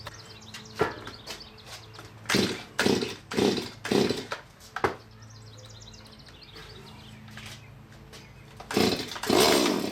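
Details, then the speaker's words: Stihl MS170 chainsaw after upgrades (12" bar and full chisel chain, muffler mod, adjustable carburetor, timing advance), checked for tuning: idles quietly, crisp throttle blips rise and fall cleanly without bogging; runs fine, normal running. "it sounds fine I'm just gonna leave it as is and do some cuts"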